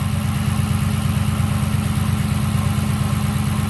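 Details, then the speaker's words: Copart rollover-damaged Dodge Challenger at idle on a cold start after sitting overnight; lifters now quiet, only light even injector ticking about twice a second; owner notes dry water pump groaning without coolant, power steering pump probably groaning too. "might be sitting overnight help the lifters oh yeah it's a lot quiter the only thing you hear now is the injector's ticking"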